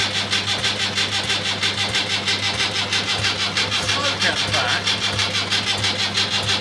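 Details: Rebuilt Land Rover Series III diesel, first start after rebuild, injector pump timing just adjusted, glow plugs preheated: slow even starter chugs about one and a half per second with no firing yet; cranks but slow to start.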